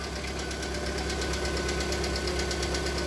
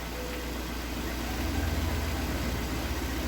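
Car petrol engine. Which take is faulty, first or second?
first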